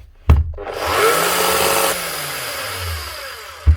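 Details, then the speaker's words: Makita SDS Plus hammer drill brought in for repair; short run with a rough, gritty motor roar that sags unevenly, and a burning smell; burnt-out armature, motor needs a new armature. "This one sounds like it needs an armature. Yeah, sounds like it and it smells like it. Motor's burnt out of it."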